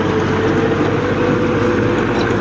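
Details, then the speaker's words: 1995 Belarus MTZ-50 tractor working a 60-blade rotavator under load, very hot: loud steady drone with a constant rubbing whine from the side gearbox, as if parts grinding together; cause not yet known; gearbox friction noise. "ਇਹਦੇ ਵਿੱਚੋਂ ਜਿਹੜੀ ਆ ਰਹੀ ਹੈ ਤੁਸੀਂ ਦੇਖ ਸਕਦੇ ਆ ਜਿੱਦਾਂ ਕਿਸੇ ਚੀਜ਼ ਦਾ ਆਪਸ ਵਿੱਚ ਰਗੜ ਨਹੀਂ ਹੋਣ ਦੇਈ ਹੁੰਦੀ, ਇਸ ਤਰ੍ਹਾਂ ਦੀ ਆਵਾਜ਼ ਆ ਰਹੀ ਹੈ ਇਹਦੇ ਵਿੱਚੋਂ ਜੀ।"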